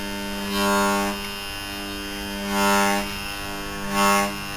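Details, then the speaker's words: Seized scrapped air-conditioner compressor, powered: a steady low buzz with strong overtones, swelling every couple of seconds, with no spin-up. Owner says it must be pulling a lot of amps. Locked rotor. "yeah that power is kind of soft and rubbery now OD that must be pulling a lot of amps"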